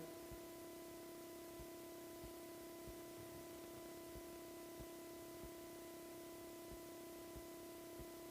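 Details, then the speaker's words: Bicycle with alloy frame after installing a new budget Hollowtech II bottom bracket replacing a dragging Shimano one: crank spun by hand turns smoothly, almost silently, no frame friction noise, faint soft tick about every two-thirds of a second. "Nah ini sudah nggak terdengar dan ini smooth banget."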